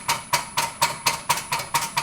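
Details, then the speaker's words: Graco QUANTM electric double diaphragm pump, speed raised remotely via signal generator simulating PLC 4-20 mA control: crisp, regular strokes around four per second, sharp attack and faint ring, evenly spaced; normal pumping, speed increasing. "You hear we're speeding up. I can turn this down to any speed I want."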